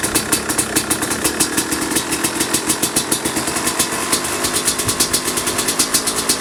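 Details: 2005 Kawasaki KX250 two-stroke, first fire-up after rebuild for low compression (piston shot, plating questionable, crank play): crisp rapid popping at idle with quick throttle blips, even and steady, no knocks or misses; healthy.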